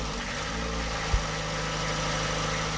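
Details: Boat's old London taxi diesel engine just after repair and fuel-system bleeding: steady, even idle with a low, regular beat and no knocks or misses; normal idle.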